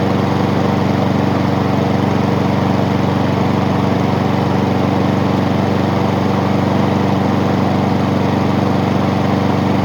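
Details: Honda small single-cylinder engine after repair, with everything now moving as it should after earlier loading up. Smooth, steady buzzing beat at constant speed with no misfires or hunting; running properly.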